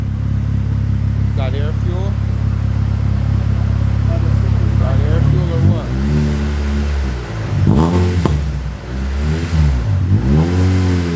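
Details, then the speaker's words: VTEC engine on dyno after cam adjustments on the top end: pulls sweep up and down smoothly with no stumble or popping; running much cleaner under load. "definitely much cleaner sounding um he's gonna you know take take out some of the advancing on the cam and try to go back there into the other direction but definitely sounds cleaner"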